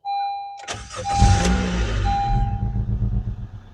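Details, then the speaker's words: Honda Civic engine started after an oil change: a chime, then a brief crank that catches at once and settles into a smooth, even idle. The oil light went out and no leaks were seen; a normal, healthy start. "There we go. Oil light went away. Everything's perfect."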